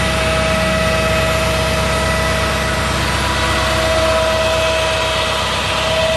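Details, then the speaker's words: 2004 Chevy C5500 rollback, 6.6 L Duramax, PTO on while running the bed back: even diesel rumble at automatic high idle with a steady mid-pitched pump hum; the PTO hydraulics run normally. "Go ahead and turn the PTO on. You hear the high idle kick up automatically, so you don't need to do that. We'll run the bed back."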